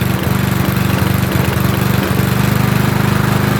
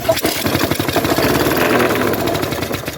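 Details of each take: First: Trash-picked lawnmower, small single-cylinder: chugging at a fairly steady beat, a little uneven but running on its own; normal running. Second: Trash-picked petrol lawn mower started on second pull: rough, fast-pattering run with uneven clatter over it; loose top cowling screws heard, blade also badly bent; loose rattle while running.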